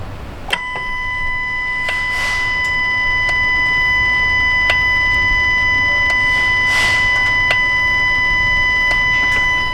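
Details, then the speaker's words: 2018 Dodge Ram Hemi, intake manifold off after CEL and no cruise control, MDS solenoid wiring tested good; warm idle with crisp single clicks every second or two as a cylinder deactivation solenoid switches normally, throttle body loud. "all right so you guys can hear that one clicking on and off they quite a bit louder now that it's warmed up"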